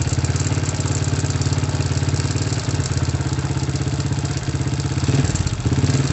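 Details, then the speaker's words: Supra motorcycle engine with oil seeping leaks, also smoky with a gear-shift fault: light crackling rattle over a fast, uneven idle, growing with small throttle blips; several rattling noises from inside the engine. "ini enggak saya main-main kan supaya mesin terdengar lebih jelas ada beberapa Suarez dalam mesin komplikasi ini agar suara kretek-kretek ada suaranya merek-merek ada suara ada banyak suara di dalam mesin ini"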